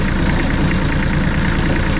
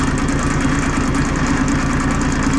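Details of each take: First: Bomag BMP8500 roller diesel, cold: slow heavy chugging at a lazy idle, each beat labouring near stalling; idle set too low, to be raised by adjusting throttle solenoid linkage. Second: Bomag BMP8500 diesel roller after the throttle solenoid adjustment and fuel filter change: steady, evenly firing diesel chug with a brief work-site horn tone midway, no knocks or misses; repaired and running normally.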